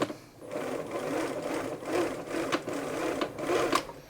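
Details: Bernina 930 Record Electronic sewing machine after fixing a common problem and oiling the mechanism; light, quick mechanical whirr rising and easing with the pedal, running freely without snags or knocks.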